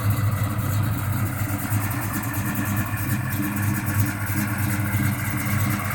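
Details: 1969 Chevelle with a fully built 350 V8, Muncie M22 and 12-bolt rear, frame-off restoration: lumpy, uneven idle that stumbles and surges irregularly; rough idle, cause not pinned down.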